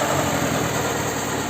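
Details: Alfa Romeo 147 with unstable idle, jerking, white exhaust smoke and coolant circuit pressure: rough, uneven idle with a faint stumbling pulse; misfire codes, one cylinder misfiring, traced to a failed head gasket.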